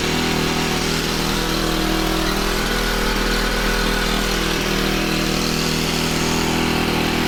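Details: Honda FG110 tiller with GX25 engine, new carburetor, previously ran only on half choke, idle set pretty high to warm up before tuning; steady fast idle with even beat, no hunting or misses; normal high idle.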